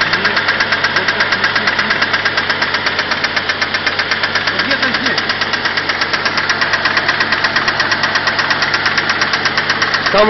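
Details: 4G63 engine, sudden loud cylinder head clacking at idle in neutral, nearly three hits a second; hydraulic lifters suspected, unchanged after checks.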